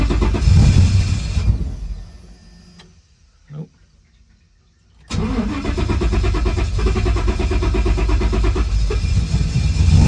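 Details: Turbo Coyote-swapped Fox Body first start after priming the fuel pump: quiet stretch, then the engine catches cleanly at about five seconds and settles into a steady even run.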